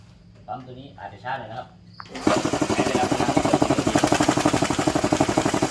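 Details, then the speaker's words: Puma air compressor, about 30 years old, after replacing a leaking part with a new one: compressor starts and chugs steadily at about four beats a second with no air hiss; leak gone, normal running. "ก็หายนะครับไม่ได้ยินเสียงนะครับลมก็ไม่มาแล้วนะครับไม่ออกแล้ว"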